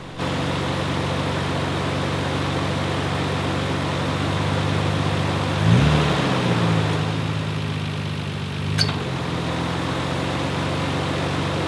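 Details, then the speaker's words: 1994 Nissan Skyline R32 GTR V-Spec II at idle with AC on: loud, uneven, RPM-dependent tapping that comes and goes and gets busier when revved; AC still blows cold, clutch not slipping; failing AC compressor knock. "in my case, it's a loud tapping or knocking noise which comes and goes and is RPM dependent."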